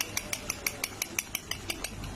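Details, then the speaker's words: Motorcycle (Yamaha FZS/Fazer suspected) clutch basket rocked by hand after opening case with poor oil: light metallic clicks about six per second; hardened, worn basket dampers let it rattle, causing knocking at idle and into chain under pull. "তো class বাটির যে শব্দটা হচ্ছে এটাই কিন্তু স্টার্টে রেসে রাখলে ঢক ঢক ঢক ঢক শব্দ হতো।"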